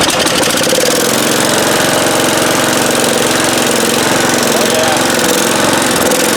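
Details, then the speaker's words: 1971 John Deere 140H3, Kohler K321 single, after carburetor rebuild with new float (was pouring fuel): quick even putter at low idle, steady firing, no hunting or sputter; running well. "Yeah, that sounds pretty good. It was running pretty good at low idle."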